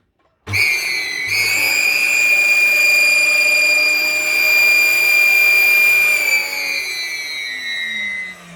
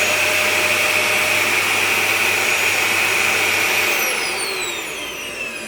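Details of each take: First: Dyson DC41 vacuum, hoses already cleaned: a piercing, steady high-pitched scream over the motor roar from switch-on that fades as it winds down. Caused by a clogged filter; replacing the filter fixes it. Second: Dyson DC41 vacuum that screamed due to a dirty filter, after filter change: smooth, steady motor whir with no shriek, then winds down evenly after switch-off; running normally.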